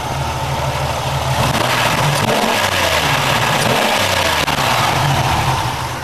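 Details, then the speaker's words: 1996 Pontiac Grand Prix after about 30,000 miles and two years, new spark plug wires fitted; steady, even idle that picks up cleanly when revved and settles back smoothly; engine runs healthy. "all right just it sounds like it's not too bad soon go cleaned up and I just need to know where that plug do"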